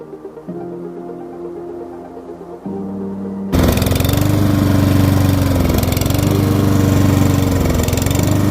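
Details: Stiga Combi SQ 50 lawn mower: the engine idles unevenly, its pitch sagging and recovering as the faulty automatic throttle hunts; fixed cheaply with rubber bands and compressed air.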